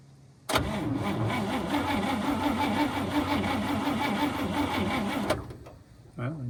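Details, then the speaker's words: 1954 Cadillac V8, 12-volt, battery borrowed, gas poured in, possibly flooded: slow even starter churn about three turns a second for five seconds, never catching; cranks but won't start, suspected no spark from damaged spark plug wires. "So, as you guys can see, she wants to, but I know that we have a couple wires that are being kind of problematic."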